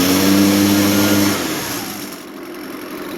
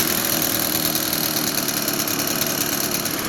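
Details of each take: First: Echo PB580T backpack blower after fitting a new aftermarket cylinder, with about 120 psi compression and the carburetor left slightly rich for break-in: a crisp, even two-stroke rev with no misfire, though the idle is not fully smooth. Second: Echo PB-580T backpack blower after fitting a new cylinder (about 120 PSI compression), carburetor left slightly rich for break-in: two-stroke idle with an uneven, stumbling beat. The idle is slightly rough and the idle speed seems a little slow.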